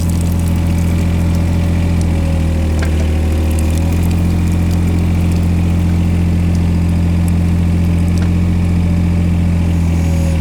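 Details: Old diesel digger given revs slowly after finally starting despite a weak battery for the starter; roof full of rainwater draining; steady, even low rumble, no misses or knocks: running healthy.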